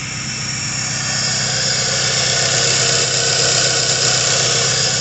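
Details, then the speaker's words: K24 K-series swapped car, freshly completed, full 3-inch straight exhaust with no cat, fuel pressure set around 50: even, steady idle with a raspy open-exhaust drone and regular pulses, no knocks or stumbles. "oh so runs real good um i got full 3-inch exhaust no cad or nothing so it's just straight exhaust"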